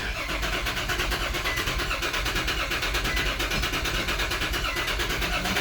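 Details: 2004 Nissan Pathfinder with an immobilizer problem, during key programming: the starter spins the engine in a steady fast churning rhythm but it never fires; cranks without starting, and a crankshaft position sensor code was found afterward.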